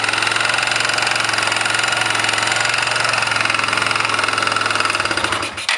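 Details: 1999 Kawasaki Bayou 220 ATV at steady idle with a sharp, even knock about three to four per second that stops when the engine shuts off; newly got running, engine knock, source not pinned down.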